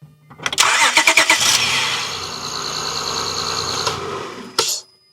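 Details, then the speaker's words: 2006 Acura TL V6 with a weak battery (about 11.3 V under headlight load, 49% state of health), started from an Ancel BS200 supercapacitor booster: quick, brisk cranking under a second, then it catches and runs evenly before shutdown. Healthy start. "wow, that cranked fast, right? It's already charging again."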